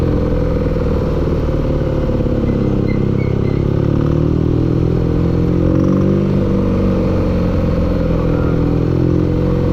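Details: Steady low engine drone at even speed with a dull clatter running through it; engine knock present, cause not pinned down.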